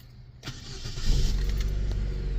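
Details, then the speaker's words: Petrol car with a crank-no-start and no spark the day before, started with an oscilloscope plugged into the ignition coil lead: brief crank, then a clean catch into a steady low idle. It runs fine; the fault was coil-pack connector pins not making contact. "and it starts up with your cell scope plugged in and Run's perfectly fine no issues whatsoever"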